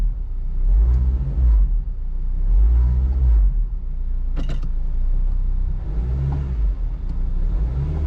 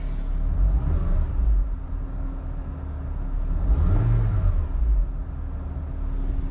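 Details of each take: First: Car at idle and revving in park and reverse, window up: deep rumble swelling into a heavy throb about every two seconds, felt in the seat, varying with rpm and loudest in reverse and park; suspected worn motor mounts. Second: Engine idling smoothly after motor/transmission mount issues: steady low rumble with faint constant hum, no shaking thumps or knocks; vibration completely gone.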